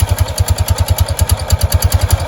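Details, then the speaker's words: Kawasaki Prairie 300 ATV with a snake found inside: after removing the belt cover the earlier noise is gone; regular low thumping idle at about eight beats a second with no rubbing or scraping from the belt drive. "Well, that noise has gone away since I took the cover off."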